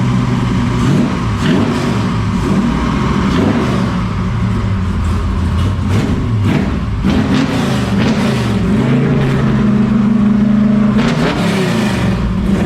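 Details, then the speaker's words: 1969 Camaro with 496 big block and new exhaust, shortly after first start: steady, even V8 rumble with clean throttle blips and no knocks or ticks; sounds healthy. "sounds really really good there you go guys it's alive it's making noise it sounds amazing sounds really good"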